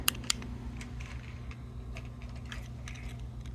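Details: 1966 Bat Radar 1/6-scale replica switched on by remote (button B), powered through a buck converter: two crisp relay clicks at switch-on, then faint ticks over a low steady hum; the relay pulls in normally.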